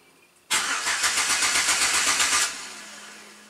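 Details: Scan tool's smart control starter relay active test, key on engine off: even chug-chug cranking about four beats a second for two seconds, then stops; the starter turns the engine over normally.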